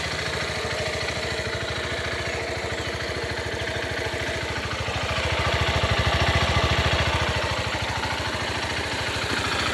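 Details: 2014 Honda CG 150 Titan motorcycle: even single-cylinder beat swelling as throttle opens near six seconds with rough rattle on top; noise when accelerating, cause unknown.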